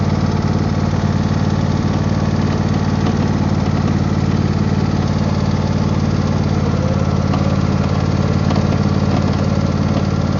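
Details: Husqvarna YTH24V48 48in riding mower: steady engine drone with busy uneven rattle; owner suspects failing bearing.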